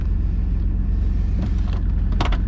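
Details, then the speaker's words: 2000 Chevy Blazer after temporary welded repair of leaking exhaust flange near muffler, on ramps: steady low idle rumble, much quieter, no puffing or ticking, brief background clatters; normal idle. "Okay. That's a lot quieter, and I don't have to worry about that muffler falling off."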